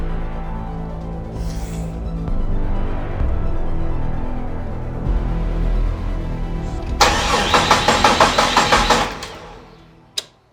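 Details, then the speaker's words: 1972 Jeep Commando with swapped 2000 Cherokee 4.0 straight six, AW4 and 231 transfer case, first start attempt: starter churns about three even beats a second, never catches; crank no start, no spark because the coil pack was unplugged. "they're going to go oh you didn't tight tighten the junction block together you forgot to plug in the coil p back"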